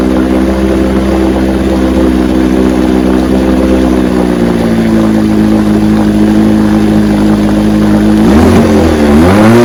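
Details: 1968 Evinrude 9.5 HP two-stroke outboard, restore, running in neutral with weak cooling water flow; steady but slightly uneven beat with an occasional stumble before revs rise, needs choke to restart warm; weak coil giving intermittent spark.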